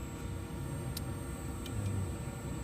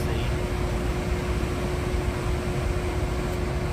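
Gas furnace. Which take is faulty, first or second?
first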